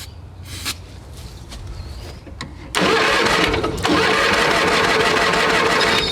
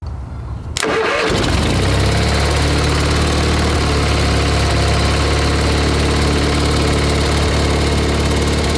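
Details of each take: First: A tractor that sat all winter, cold-started on a GoldenMate 12.8 V 20 Ah LiFePO4 battery in a jump pack, cranks loudly at a regular beat but won't fire. The cause is unconfirmed; the owner plans to remove the cover and spray two-stroke fuel in. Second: A tractor that sat all winter starts on a GoldenMate 12.8 V 20 Ah LiFePO4 jump-pack battery after its circuit breaker tripped and reset. It cranks briefly, then settles into a steady, even idle while warming up, with no knocks or misses; it sounds healthy.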